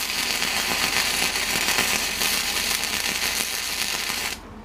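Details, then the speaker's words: Millermatic 135 MIG welder after repair of a failed trigger/wiring: a steady, crisp frying crackle for about four seconds, then a clean stop, welding normally again. "I think we have a welder okay we have a welder"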